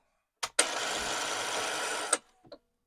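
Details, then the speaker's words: Commodore 1525 dot matrix printer (Vic-20/C64), long-stored, after reseating the ribbon: short click, then an even mechanical whir about 1.5 s ending in a clack as the print head shuttles; ribbon now moving; mechanism working. "okay so I think what's supposed to happen is I think okay the ribbon is now seeming to move is moving"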